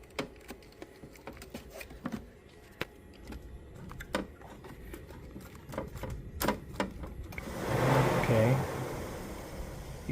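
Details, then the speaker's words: 2007 Toyota RAV4 with crank-no-start, rough running and stalling: scattered clicks, then the cooling fan whooshes on briefly whenever the ECU harness connector is touched; loose harness connection. "okay so I was able to you know try to get the vehicle back up and every time I touch the H right here that when you hear the fan coming in"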